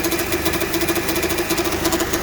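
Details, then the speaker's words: 2005 Honda Civic with recently replaced engine, hard steering and clunk on left U-turns: rough, pulsing whir and faint whine from worn power steering pump bearings; the pump is not supplying enough fluid and will be replaced. "you can clearly hear the bearings even though you push the steering uh you turn this turn to the left the pump is not helping the steering so the pump is not pumping enough fluid"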